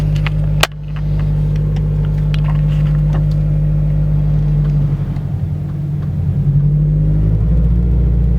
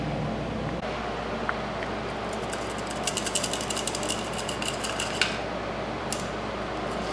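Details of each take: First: Subaru BRZ/FRS/GT86 pulling away and cruising after removing the transmission to replace the throwout bearing: deep, even engine rumble with no whir or chirp from the clutch. The bearing noise is gone and the clutch and drivetrain are normal. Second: Subaru BRZ/FR-S/GT86 clutch throwout bearing, removed with the transmission out and spun by hand: a dry, gritty ratcheting rattle. The bearing is worn out, per the owner a known failure around 50–60k miles, and is being replaced.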